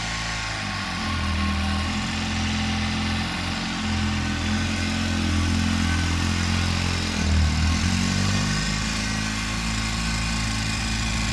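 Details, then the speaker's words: Polaris RZR idling on the first heat cycle, front jacked up while burping the coolant; steady, even low thrum with no knocks or misses, running good, though it keeps starting and dying and heats up very quickly. "Running good though. Sounds good."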